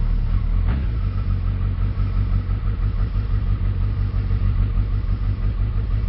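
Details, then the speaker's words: Suzuki Hayabusa after spark plug replacement, cold start with choke pushed right in: deep, even exhaust burble at fast idle just over 1,000 rpm, steady with no stumbles or ticking; normal healthy cold-start idle. "that's basically cold start and I push the and the chokes right in so that's just over a th000 RPM and that's good to go"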